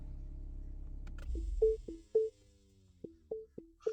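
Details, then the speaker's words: Mini Cooper S, heard at engine shutoff: engine runs briefly then cuts off, followed by short alternating low-pitched moans like a cow mooing; cause not yet figured out. "It also does have a cow mooing sound when uh you shut it off."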